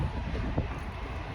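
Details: Yacht engine, just started from the helm after sitting a few days with bilges running: turns over right away, low even rumble settling into steady idle, some wind noise. Healthy normal idle.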